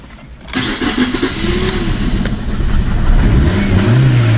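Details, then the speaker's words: Fiat 500 that only starts on a jump start: it catches and revs unevenly, surging and stumbling, kept running only with the accelerator held down, then runs briefly and dies. Rough running and stalling, cause unknown. "So, this car is really rough, but the only way to keep it running is me keeping my foots on the accelerator pedal. just to get it to keep take over. Then it will decide to run for a little bit and then die."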